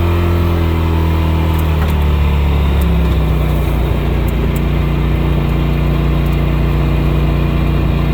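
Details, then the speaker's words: Polaris RZR XP Pro Ultimate that overheated into limp mode in 70-degree weather, idling at 214–216°F: a steady idle under a constant rushing engine fan that blows hard without cycling off. The owner suspects it is low on coolant, with no leak found. "The engine fan's running, you can see and hear that. You can put your hand back here, you can feel it's blowing really good."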